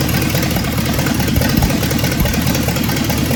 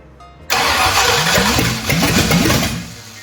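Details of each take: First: 1965 Ford Thunderbird with FE 390 V8, just restarted after troubleshooting: steady, even idle with a smooth low rumble, no knocks or misses, running on its own; normal idle. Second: 1965 Ford Thunderbird FE 390 V8 after distributor was moved: starter cranks, engine catches about two seconds, stumbling and sputtering before dying; owner thinks timing was set too far advanced and readjusts distributor.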